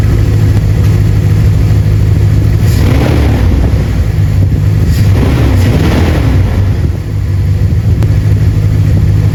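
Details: 2nd-gen Ram 1500 after replacing the squeaky serpentine belt: an even engine note through a couple of light revs with no chirp or squeal, the belt is no longer squeaking.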